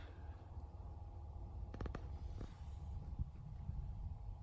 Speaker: okay so the both fans are now fitted straight away couldn't tell the difference is much quieter so